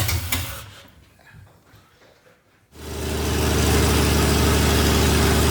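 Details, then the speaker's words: 1977 Toyota FJ45 with freshly rebuilt 2F engine (new rings, bearings, shaved head, new carb, headers) first start for break-in at 1,500 rpm for about 15 minutes: catches cleanly and holds smooth, even fast idle with no knocks or ticks. "I've also got one of these RPM gauge so that we can get the engine up to 1,500 rpm about 15 minutes so we're gonna fire it up break everything in"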